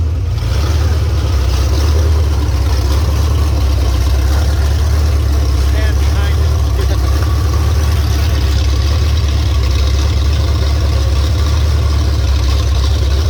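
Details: 351 Cleveland V8 on a home-built run stand with open headers: deep, loud rumble, steady and even as revs swell and settle; normal strong running and revving.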